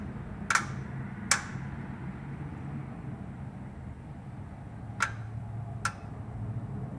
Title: Big Block ticking sound after shutoff